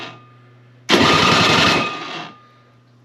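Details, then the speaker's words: Toro electric-start snow blower, at least 25 years old, unused about 2 years, primer bulb dry-rotted; owner also suspects it needs a spark plug. Quiet hum, then brief rough sputtering crank that dies; hard starting from dry-rotted primer bulb. "when I was trying it before it was kind of struggling uh I'm thinking it's going to need a spark plug I'm going to need to order this uh this little little primer bulb here and then hopefully I can get it to run"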